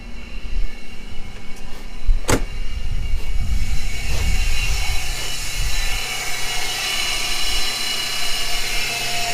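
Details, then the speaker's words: 1997 Camaro 3800 Series II V6 with a poor idle and charging voltage jumping between about 12.5 and 14.2 V. A steady high whine comes from one side: a belt accessory, suspected alternator, tensioner pulley or A/C compressor. "but it sounds awfully noisy over here that whining and it's either the alternator it could be a a tensioner pulley"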